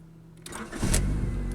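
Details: 1991 Honda Accord that would fire for a split second then cut out, after fixing the bad ignition switch: short crank, then the engine fires promptly and settles into a steady, even run; starts normally.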